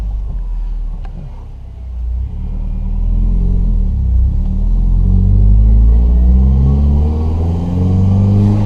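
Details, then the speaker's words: 2009 Subaru Impreza with lack-of-power complaint, after fuel pressure testing and the fix, warm: deep flat-four burble climbs cleanly through the rev and settles without stumbling; normal revving. "Hey, there it is. Yeah, that's a Subaru sound. Yeah, it's not just an old Impreza, now it's an actual Subaru."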